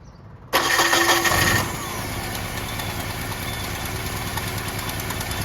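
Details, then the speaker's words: 1987 Dodge Ram 50, carbureted, after sitting overnight, being checked for fuel starvation with mechanical pump, new filter, choke held open: catches on first crank, flares briefly, settles to steady even idle; accelerator pump and fuel pump seem fine, normal start and idle. "this seems to accelerate just fine so I don't think it's an accelerator pump issue"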